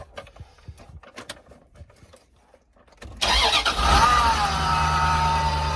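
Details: 1996 Dodge Ram 1500 van after repairing no spark, no data port and a bad fuel pump, with a new computer installed and fuel primed three times: cranks briefly, fires cleanly and drops into a steady, even idle. Normal start and idle.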